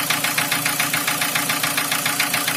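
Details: 2003 Nissan Wingroad, QG18DE petrol engine, automatic, AWD, on a cold start with oil pressure about 3.5–4 bar: sharp, even ticking knock about seven a second over the idle; source not yet pinned down.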